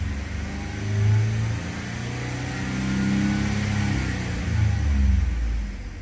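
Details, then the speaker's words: Ford F-150 with check engine light, earlier cylinder 6 misfire and low O2 sensor voltage: deep V8 revs in park up to the 4000 rpm limit, rising and falling smoothly with no stumble; no misfire. "notice that when you're in neutral or Parga doesn't go past 4000 rpm all right this sounds really good"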